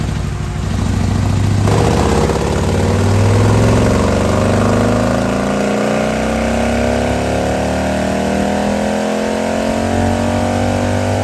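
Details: 2020 Harley-Davidson Road Glide, fresh 130-inch T-Man Performance stage four engine on a dyno pull after warm-up (result about 155 ft-lb torque, almost 153 hp): big V-twin pulling hard and evenly through a rising rev sweep, no misses or knocks; healthy under load.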